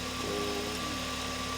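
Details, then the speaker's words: Toyota Vios (Robin) that cranked but wouldn't start, now running after repair and part replacement, being warmed up: smooth, steady idle, even low hum, no stumbles or ticks, faint whine on top; idling fine. "So ayan guys, naandar na yung BIOS Robin."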